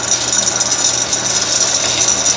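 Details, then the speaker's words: 1959 Axeman Anderson 130M coal stoker boiler fan: fast dry fluttering rattle over hissy fan run, from worn pillow block bearings on the fan drive; new bearings on hand. "so we did this a couple months ago and uh you can hear the uh the bearings flattering we have new pillow box bearings for it apparently these have some wear on them"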